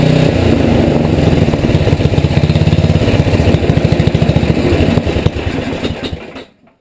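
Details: Rebuilt Tecumseh HM80 on a Craftsman 826 tracked snow thrower, first start with fresh gas and oil, electric start, choke and primer; steady fast even beat at high fast throttle, then cut off; runs clean.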